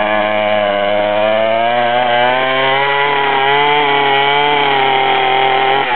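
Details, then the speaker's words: Homemade motorized bicycle with a weed-whacker two-stroke engine driving a friction wheel on the tire, warming up on choke: a high, steady buzz at an even pitch with slight wavering, running smoothly; normal running on choke during warm-up. "all right it's a two-stroke and it takes a bit of warming up so I'm going to have to put the choke on"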